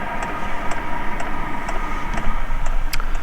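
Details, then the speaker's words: Hcalory 12 V 5 kW diesel heater turned down to level one: a soft fan hum with a light, regular tick roughly twice a second from the dosing pump. It runs quietly on its lowest setting. "so if I bring that down you can hear it going quieter already bring it down to level one A lot quieter as you bring it down a few levels"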